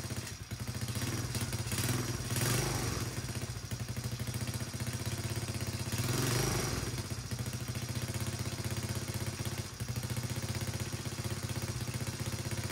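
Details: Chinese 125cc ATV engine after a top-end rebuild, in break-in; steady, even low putter at fast idle with no knocks or misses, running fantastic.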